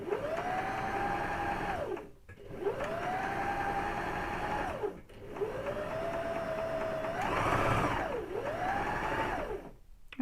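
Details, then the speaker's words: Sewing machine running after cleaning and lubrication: motor spins up to a clean, steady hum in repeated two-second runs, no clatter or grinding; after oiling the machine runs light and smooth. "Кәдімгідей майлағаннан кейін машинаның жүрісі жеңілдеп қалды."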